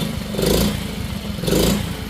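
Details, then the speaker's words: 2004 Pantera 50cc single-cylinder mini bike idling evenly after a refresh, oil change and tune-up; small putter with gentle speed swells, lifters and rocker arms now silent, no top-end tapping; healthy normal idle. "Yeah, the little lifters are just silent now. The little rocker arms, you don't hear them at all."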